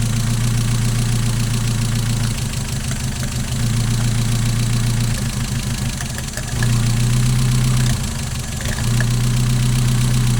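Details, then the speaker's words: Mazda MX-5 idle after fitting a new coil pack (old coil looked distressed, likely dead): steady, even idle with consistent hum and no stumbling, misfire cured and very drivable; injector cleaning still being considered. "I think that coil pack might have been dead. That's a very apparent difference there now."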